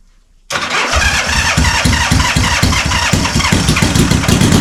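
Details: Honda CB450 Black Bomber, cold start on choke with idle stops set and small mufflers fitted, checking a possible cam chain rattle: the starter catches at once, then a loud, even idle with steady firing pulses and no rattle; healthy.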